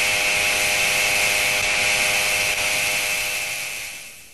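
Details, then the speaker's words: SKF 6309 deep groove ball bearing at 2,000 rpm under 20,000 N load, heard through an electronic stethoscope: harsh, steady high-pitched rushing grind fading as the shaft spins down, from a damaged stationary outer ring. "now it is the turn of a damaged outer ring which is stationary and does not rotate like the preceding inner rings"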